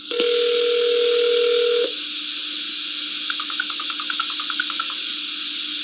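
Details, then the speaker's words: Fire alarm digital communicator dialing out over a conventional phone line: a steady dial-line tone for two seconds, then a quick run of touch-tone bursts over hiss and slight line echo. A normal communicator transmission with no fault. "Now, what you just heard was it calling up, getting the handshake. Now, you hear a little bit of echo in there because this is from a conventional today phone line"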